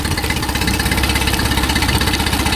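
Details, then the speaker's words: Mercury 9.9 four-stroke outboard after tightening the loose fuel pump screw: started with no choke after two primer bulb pumps and one pull, then a steady, even low putter with no misses or knocks. It idles cleanly and normally. "There it goes. Perfect. That's what it's supposed to do."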